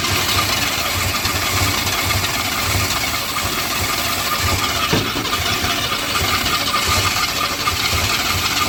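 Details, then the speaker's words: GM Andino truck with a swapped-in Ford V6, no fuel in its smoked carburetor: a cranking churn with a brief ragged catch that never settles. It fires only on starting fluid, with no fuel supply. "We obviously have no fuel in the carburetor smoked, but watch this and listen closely."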